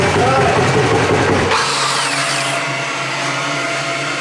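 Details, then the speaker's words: Polaris RZR engine started with clutch removed, after home-welding a cracked exhaust to airtight and refitting heat shields with hose clamps: sharp whirring burst, then steady even buzz with no puffing or ticking; normal idle, exhaust sealed. "We're starting with no clutch on there. >> Hey, that sounds normal."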